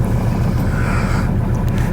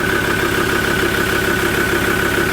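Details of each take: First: Ford Ranger diesel at cold idle with an uneven, stumbling low rumble and heavy vibration; one cylinder misfiring, tester shows one glow (heater) plug not working. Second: Ford Ranger automatic idling after transmission and torque converter repair: steady, even idle with a constant hum and no knocks. It runs fine, though the engine may be missing when cold; a glow plug is suspected from a fault code.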